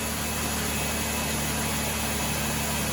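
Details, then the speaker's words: 2011 Chevrolet Impala 3.5L V6 after new AC Delco Iridium spark plugs and new plug wires: steady, even idle with smooth low hum, no misfire or ticking; runs like a top, normal idle. "Let's see if she pops off and runs like she did before. Or better. Runs like a top."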